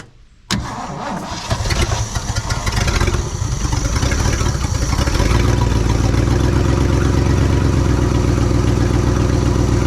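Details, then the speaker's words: 1967 Ford truck V8, first start after sitting over 20 years, after a pushrod was straightened and the valve covers resealed: it cranks a few seconds, catches and settles into a steady, even low idle, with oil pressure and a little blue smoke. "so well there you go it absolutely does run we've got a good exhaust loop going on over here we even have some temperature and some oil pressure"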